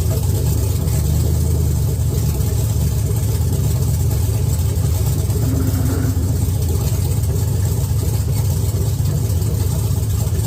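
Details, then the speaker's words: Chevy S10 with LS V8 swap, first fire-up on a donor truck's computer, 60 psi oil pressure, fresh paint on the exhaust manifolds: deep, steady rumble with even beat, no knocks or misses; idling smoothly. "Need to let it run a little bit, burn some of this paint off the manifolds, but I just wanted to let it run, let y'all hear it."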